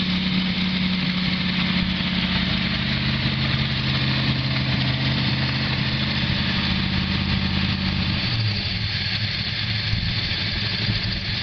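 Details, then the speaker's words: Oldsmobile Cutlass G-body first started after new plugs, wires, oil, filter and starter rewire, fed from a temporary tank: deep, steady idle burble, even exhaust note, no knocks or misses; sounds healthy. "sockets that's lovely good to hear them pipes and pipe sound good"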